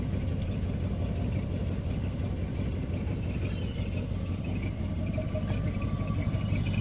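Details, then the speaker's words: 1972 Barth motorhome engine running on its own for the first time in 15 years, electric fuel pump: deep, even rumble holding steady, no misses or knocks; runs like a champion. "she runs like an absolute champion"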